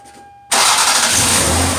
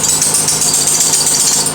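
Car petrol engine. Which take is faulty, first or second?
second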